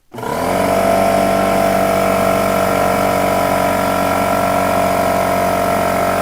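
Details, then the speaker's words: Old Porter-Cable pancake air compressor (about 6-gallon tank): a loud, steady mechanical drone with a fast throb about four times a second and no letup. It runs excessively loud and needs attention. "but that's ridiculously loud i hope that came through let me know if you've heard that so that's my old compressor and it also it's just it needs some love and it needs to go somewhere else"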